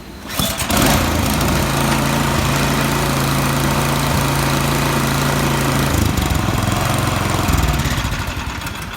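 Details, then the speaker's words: 22-inch Yard Machines snow blower that sat two years with old gas, after carburetor cleaning, set to run: one or two pulls and it catches, settling into a steady, quick, even putter; starts and runs cleanly. "it did originally took me three poles to get running but they're up and running"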